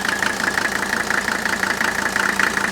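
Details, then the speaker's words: 1983 Mercedes 300D turbo sedan, OM617 turbo diesel, at idle: even rapid diesel clatter, steady rhythm, no metallic knock; normal healthy combustion, engine healthy. "once i bring it off idle it'll sound very similar to the previous engine but that's the sound of healthy ignition okay that's not metal on metal knocking inside the engine that's the sound of a very healthy ignition fire"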